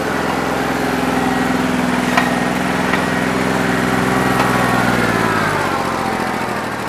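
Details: New Holland 1320 diesel tractor with a bad injector, running on about 2¼–2.5 cylinders, still rough after 3 hours of loader work when hot: uneven, lumpy chugging with dropped strokes, then winds down; misfire, owner thinks it needs an injector.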